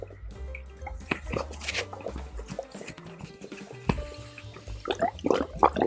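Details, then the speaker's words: DIY marble waterfall aquarium air-lift filter with hole in central pipe: irregular wet gurgles and bubbling pops getting busier, as low water level lets the intake suck air; adding water fixes it. "wait a moment, it is making too much noise it's making gurgling noise"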